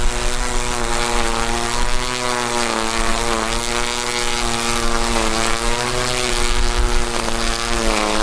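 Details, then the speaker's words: Ryobi One Plus P2080 18V cordless string trimmer, new out of the box on test: steady high-pitched electric whir with slight pitch wavering, no rattle or grinding. The motor sounds healthy, but the head wobbles visibly on its single-wheel design. "It's really, the motor sounds healthy, but you see this movement right here in his head?"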